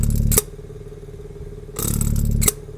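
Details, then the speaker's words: BMW E90 335i N54 during a scan-tool test procedure while chasing a boost pressure issue. Idle exhaust note jumps louder twice, then drops back as the flap is commanded: exhaust flap actuating normally. "okay now it's actuating the exhaust flap so I think it uses that to build back pressure I'm not sure if you guys know let me know in the comments you can hear it's running the test on the exhaust flap"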